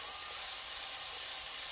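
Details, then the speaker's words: Triumph TR7 cylinder head rebuild, lapping the number two inlet valve after over two hours of grinding: steady, gritty rasping hiss, the seat not yet bedded. "and I'm going to show you the process that I was going through so you can see what's going on in those 15 minutes and you can actually hear the grinding"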